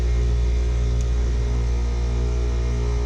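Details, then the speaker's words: Ten-year-old central AC compressor that had been locked up, restarted after knocking it with a rubber mallet to loosen the scrolls. Steady low hum, no clunks or straining, drawing 9 amps, on target; running smoothly. "we go 9 amps that's good it's pretty much raid on target probably use a little squirt of gas"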